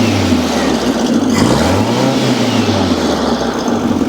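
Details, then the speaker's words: Air-cooled VW Beetle flat-four at operating temperature, smoking heavily before a compression test: a raised, steady idle with a slight rise and fall in pitch, because it is running on the fast idle cam. "so we've had the sucker running for a bit definitely had operating temperature we're running on the fast idle cam right now"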